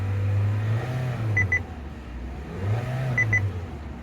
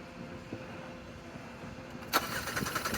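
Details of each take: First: 2022 Kia Seltos petrol engine that cranked but would not start because diesel was put in the tank; under a quarter tank of petrol added, so it is still burning diesel. Even idle, gentle rise and fall every couple of seconds, repeating chime. Working properly. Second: 2022 Kia Seltos crank no start: the starter spins the engine at a steady, uneven churn for about a second, but it never catches; fuel is confirmed present, so a fuel issue is doubted.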